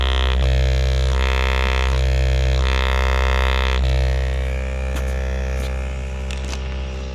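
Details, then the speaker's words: Jeep Wagoneer S electric, front door speaker rattle reproduced by playing a 65 Hz tone. A deep steady bass tone carries a buzzy rattle that shifts and fades as the speaker grill and door panel are pressed by hand. "And the sound is emitting through the speaker, and if you guys can hear this, I'm able to isolate that. So now that I'm able to duplicate that rattle, I can take my hand here and I can manipulate it by touching this"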